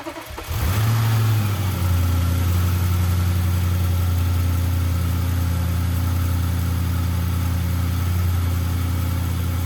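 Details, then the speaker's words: Audi RS6 C7 twin-turbo V8, first start after engine removal, teardown and repair for misfire and rattle (fault found behind timing cover); smooth steady low rumble settling after start, no misfires; normal idle after repair. "We're running. No misfires just yet. So that's good."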